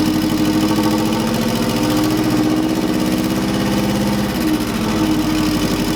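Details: Subaru EJ205 swapped into a Honda CRX, first startup on a stockish setup: lumpy uneven idle with loose pulsing beat and slight speed wander, no missing beats; owner unsure if timing or fueling, maybe needs tuning. Rough idle.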